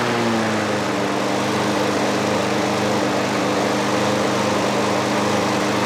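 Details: Trash-picked Craftsman 21-inch push mower, 6.5 HP, first run: engine buzzes high, pitch sagging then holding unsteady; governor arm at the carburetor stuck so speed uncontrolled, later freed with PB Blaster.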